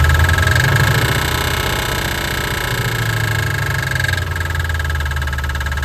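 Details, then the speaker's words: 1988 Ford Mustang GT 5.0 V8 idling after reassembly, deep rumble with uneven loose internal knock; owner believes a lifter is the cause, not confirmed. "I swear it's like it's like a bear. It sounds weird. I don't know. I'm not an engine guy. But I just knew that the lifter was gonna be it."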